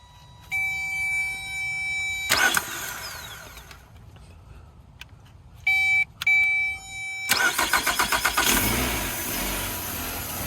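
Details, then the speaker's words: 2009 Nissan Altima four-cylinder with no-start complaint, mass airflow sensor unplugged; chimes, brisk even crank, fires and settles to steady idle; starter and battery fine, fault traced to ignition switch. "all right so that goes to show that we don't have a starter issue we don't have a battery issue"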